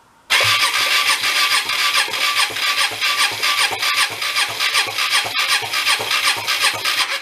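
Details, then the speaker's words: Hyosung Aquila 250 (GV250) V-twin, dead for 9 years, cranked with power fed straight to the starter on the front cylinder. Heavy, rhythmic, diesel-like chuffing at about 2.5 pulses per second with no start; oil in the cylinder suspected of raising compression. "It identifies as a diesel."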